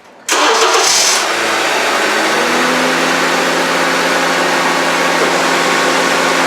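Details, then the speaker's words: 2011 Honda CR-V after AC compressor replacement and system recharge: the starter whirs briefly, then the engine settles into a smooth, quiet, steady idle with no racket. Normal start and idle; the noise is gone. "Okay, I'm not going to leave this running because you won't be able to hear me when I'm talking, but that's it. It's nice and quiet. You can hear how quiet it is now."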